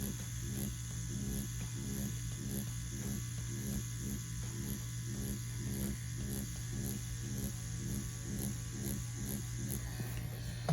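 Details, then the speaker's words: Ambition Ninja wireless tattoo machine running a standard 3-round liner cartridge with straight black ink under load: steady low motor hum with an even, regular pulse, no stumbles or rattles; smooth, consistent normal running. "Very smooth, still very consistent. And I'm going with just straight black ink right here. And it's pushing with ease."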